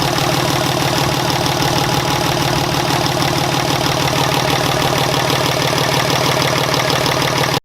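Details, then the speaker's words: Dodge 5.9L Cummins diesel after top-end work (new injectors, pushrods, valve springs, head studs, coolant bypass), idling to warm up and bleed air from the radiator; steady, even, unhurried idle clatter, no odd knocks; normal idle. "Alright, so we just got the valve cover back on, everything else bolted back up, and now we're just trying to get it back up to temp and make sure that there's no air in the radiator."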